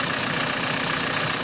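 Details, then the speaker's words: Renault Mégane 4 1.5 dCi diesel, after fixing knocking damper crank pulley (original pulley, rubber intact, spot-welded around): even steady idle with smooth rumble, crank pulley area quiet, annoying knock gone. "Сейчас поставим на машину, посмотрим, пропадёт стук или нет. Ну вот поставил, завёл и нет этого раздражающего"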